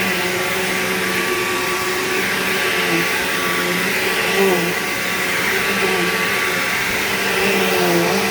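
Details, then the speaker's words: Bissell PowerGlide Platinum 3545-2 vacuum: steady motor roar with a wavering, whiny "wah" tone on top, most noticeable on wind-down; cause of the whine unknown. "Yeah, that weird, like, whiny, wordy sound that it makes is really bizarre. I don't know why it does that."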